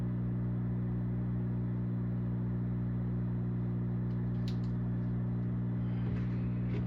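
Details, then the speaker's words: Zaxxon arcade machine: steady low mains-type hum with stacked tones, persisting with the monitor unplugged and coming out of the speaker; owner suspects the game board. "It's coming out of the speaker. Something with the board maybe. Must be something with the board."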